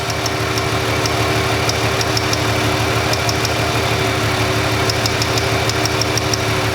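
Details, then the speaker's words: Ford Freestyle 3.0 V6, cylinder 1 misfire with no codes, engine idling: sharp snapping ticks in bursts as the ignition coil arcs to ground through its housing, only jumping a small air gap. "You can hear it arcing, but you can see it jumps that little air gap. As soon as I move away a little bit, it no longer jumps. But I hear it arcing somewhere, and it's, ooh, there it is."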